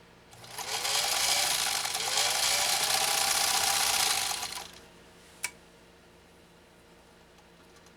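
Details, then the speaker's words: 1940s Singer 66-16 sewing machine after restoration, sewing four layers of US Army grade canvas: fast even stitching rattle for about four seconds, motor pitch winding up through the heavy cloth; normal healthy motor under load. "but you hear that you hear that motor kind of wind up it just it's so exciting to hear that happen because it gets it just gets your blood going"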